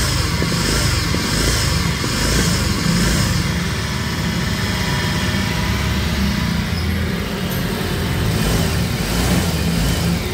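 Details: Honda Vario 125 scooter with a rough engine: a deep, uneven rumble under the engine note swells as it revs, typically from a worn left-side crankshaft bearing; the engine is then split open.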